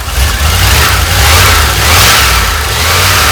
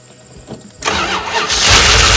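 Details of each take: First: 1988 Dodge Ram W150 4x4 V8 with TBI injection, first run after long storage with the fuel gauge below empty. A few throttle blips, then a steady, even idle with a faint whine on top; runs normally for this engine, fuel pump working. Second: 1988 Dodge Ram W150 4x4 with TBI fuel injection, first start after long storage without a battery, primed with a gas and oil mix. Starter whirs and cranks with a rising hiss but it doesn't catch; owner expects an ECU learn cycle over several starts.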